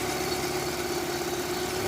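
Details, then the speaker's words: Chevrolet Optra 1.6 brought in for stumbling, surging idle and stalling, restarted after the timing was set and the front pulley refitted: steady, even idle with a smooth hum, no stumbles or misses; normal idle. "เวลาครับการแล้วมันก็จะนิ่งขึ้นนะครับมันจะไม่กระตุกไม่อ่าไม่สะดุดนะครับมันจะนิ่งไปรอบข้างก็คือสีเสื้อนะครับหรือเครื่องมีปัญหาอยู่นิดหน่อย"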